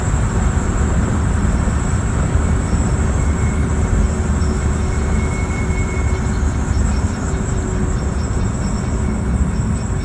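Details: 2018 Jeep Renegade, standing still. A loud, steady, rough grinding drone with some high tones, which happens once or twice a year and stops after shifting into reverse or after a few minutes. Cause unknown.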